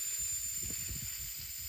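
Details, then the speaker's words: Red Witch Zeus bass fuzz octave pedal gives a constant high, airy hiss under low thumps. The hiss is gone with fuzz off, is unaffected by the octave or gain switch, and the owner suspects the sputter/fuzz circuit, unconfirmed. "If I turn the fuzz off, it's gone. So it's not on the octave side at all. It just seems to be with that sputter and the fuzz component."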